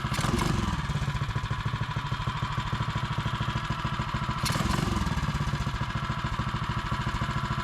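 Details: Mega Moto minibike with a HEMI 224 single-cylinder engine, just fitted with a larger aftermarket hot coil and ground strap in place of the stock coil; pull-started, it gives steady, evenly spaced idle beats with no misses or clatter. Running clean.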